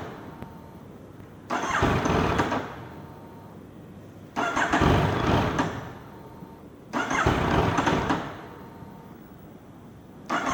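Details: Hot Yamaha MT-09 after a 30-minute ride: four separate two-second bursts of cranking, and the engine never catches; hard starting when hot.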